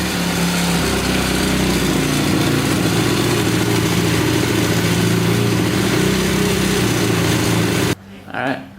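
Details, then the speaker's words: 2010 Honda CRF250R after valve shim work, started using primer procedure: quick, even single-cylinder thump holding a steady idle without stumbles; idles cleanly, though still somewhat hard to start. "Sounds pretty good. It's finally idling, so it sounds pretty good."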